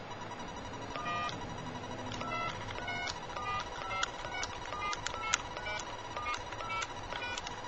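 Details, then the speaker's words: Hart telephone after repair, plugged back in with dial tone: crisp dialing tones in quick bursts, about a dozen evenly spaced over several seconds on a quiet line; the phone dials out properly. "telephone came on like it's supposed to. We'll have dial tone. You probably hear it dial."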